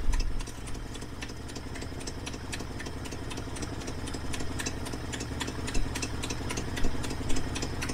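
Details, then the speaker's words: 1968 Ford Ranchero long off the road, just started, before warm-up, idle low: lumpy V8 idle with sharp quick ticking on every firing pulse; exhaust manifold donut gasket leaking badly. "Man, that exhaust donut is leaking bad."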